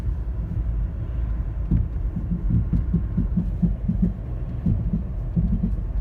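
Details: 2010 Toyota Corolla LE giving a loud thumping, popping noise, low uneven thumps and pops two or three a second over a deep rumble, much louder in person; source not identified.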